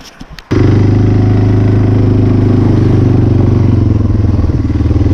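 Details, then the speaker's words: 1996 Yamaha Timberwolf 250 ATV run for the first time this winter above 20 degrees (46 today): catches at once and settles into an even, strong thump about four beats a second, running better and wanting to stay running. "so first time I ran and I think it's definitely running better it likes it wants to stay running"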